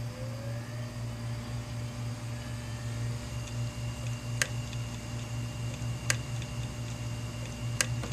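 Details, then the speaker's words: 500GB hard disk powered up after 18 hours in a freezer: spin-up whine, then sharp head clicks every second or two over steady hum, head clicking failure. "okay you hear the head clicking that's that ticking"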